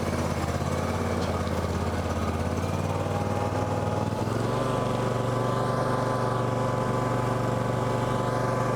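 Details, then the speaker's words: John Deere X350 riding mower, sat several years, after reconnecting an improperly bypassed seat safety switch: even steady engine drone with smooth low beat, small settle in pitch midway, no misses; runs healthy. "Well, let's see. Yep, it works. So, it wasn't bypassed properly."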